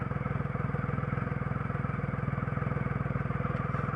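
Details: 2006 Triumph Rocket III Classic idling evenly after restart, a quick steady low pulse with no misses or stumbles; the engine had idled roughly and stalled before the restart.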